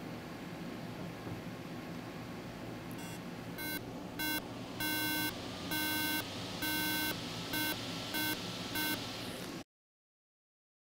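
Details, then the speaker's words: MacBook Pro 13-inch non-Retina, A1278 board 820-2879: fan hiss, black screen and nine beeps (three short, three long, three short). This signals a corrupt EFI ROM; the fix is replacing the EFI chip. "eight hours onto a black screen with nine beeps three short deep three long beats and three short beeps now nine beeps is an indication of a corrupt efi rom"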